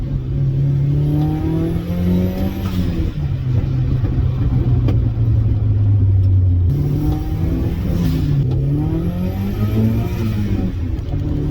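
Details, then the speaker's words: Turbo Mazda Miata at operating temperature, driving with throttle held steady: engine note rises and falls unevenly with brief dips and wavers, RPM gauge jumping; intermittent hesitation and breaking up, cold or hot, that can progress to the engine cutting out entirely. "I can hear small incremental changes in like the idle or how it how it wants to react"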